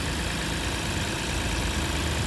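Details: 2006 Lexus IS250 AWD, running after a no-start, no-crank fix with security light still flashing: steady, even idle hum, no misses, knocks or stumbles; normal idle.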